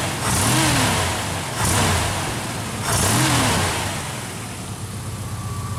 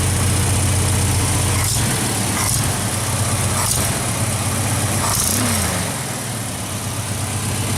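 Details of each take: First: Engine with distributor converted back from Pertronix to points, gap about 0.022 in, initial timing 10°, centrifugal and vacuum advance working: three crisp throttle blips rising and falling cleanly to a steady, slightly smoother idle; running well. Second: Engine just converted from Pertronix back to points ignition: a steady idle with a quick tapping tick of about four per second from an exhaust manifold leak at the center cylinder, where the gasket is blown.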